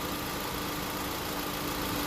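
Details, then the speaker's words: 2016 Honda Civic A/C while recharging R-1234yf refrigerant: steady hiss and hum with a faint constant tone, compressor clutch engaged and condenser fans running smoothly; normal operation. "So you can hear the compressors on, you can hear the fans are on, and the double check with the light here, the clutch is spinning. That's a good sign there."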